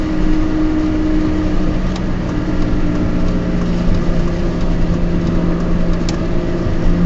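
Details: Peugeot 206 driving: steady low drone holding its pitch over road rumble; owner attributes it to bad wheel bearings.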